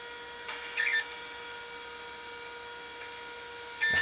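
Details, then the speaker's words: Macintosh II or IIx hard drive: steady high spin whine with chirping, scraping bursts near start and end; unhealthy drive, cause unclear. "yeah that is not a happy set of drives"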